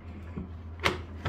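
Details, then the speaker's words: EZGO golf cart parking brake after brake work and adjustment: two crisp mechanical clicks about half a second apart over low room hum as the park latch snaps free; releasing properly, no longer sticking. "now it's releasing if you ever need to fix that it is that adjustment right there this one right here just turn it one way or the other and play with it until you get it right"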